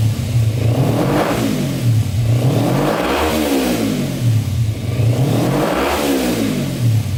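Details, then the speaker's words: Cheap non-running Kawasaki Ninja sport bike, sat a long time, oil level good, choke fully off after idling; clean, even revs climbing and falling smoothly with no misses or knocks: healthy revving. "Wow, that sounds really good. Choke is all the way off."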